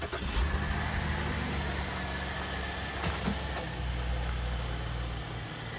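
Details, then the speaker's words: 2016 Chevy Traverse AWD 3.6L with a failed front differential, before replacement: the engine catches and settles into idle with a coarse low drone and hum underneath; the noise comes from the front diff. "and we've sort of forewarned her that, you know, we can hear that the noise is obviously coming from the front diff,"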